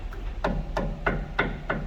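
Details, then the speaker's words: Honda City at 100,000 km on lift, suspension rocked: sharp regular knocks about three per second from worn sway bar link; steering rack also has play. "barulho da da bieleta Fazendo bastante barulho né"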